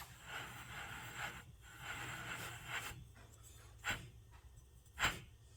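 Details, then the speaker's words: 2016 Honda Accord rear wheel bearing, growling for about a month and worsening, hub spun by hand with rotor off: no play, but a rough gritty rushing pulsing with rotation, then sharp knocks; worn wheel bearing. "There's no play in it, but you can hear it. Should not be that loud."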